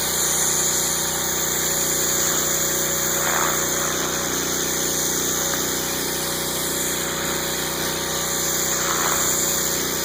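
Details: Northstar pressure washer with a 9hp Honda GX engine, rated about 3,000 to 3,300 PSI: the engine runs at constant speed under a steady high whir and hiss from the pump, nothing uneven; normal running.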